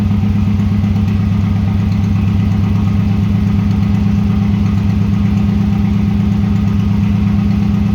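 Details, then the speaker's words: 1996 Subaru WRX that sat outside 7 years (rusted fuel tank, no sump oil, rusty coolant), first start with fresh oil, new oil and fuel filters, original plugs: low lumpy hunting idle, stumbling; runs on four cylinders after coaxing, injectors may need cleaning. "okay well the answer to the question does it run well yes it does and after a bit of coaxing got it to run on four cylinders which is quite surprising actually"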